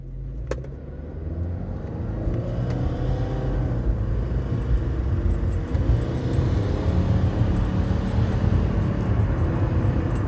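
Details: 2014 Subaru Forester XT Touring, warm and under load: a raspy, fluttering whir under the rising engine note, first taken for a knock. Cause was an exhaust leak at the manifold gasket from under-torqued manifold nuts.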